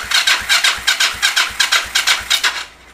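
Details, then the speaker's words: Yamaha XS400 project bike revived, started about three years ago, cranking on the starter during a compression test, just under 150 reading on a poor starter; steady, even compression pulses about three per second, none weak: normal cranking compression. "Just under 150. Poor starter."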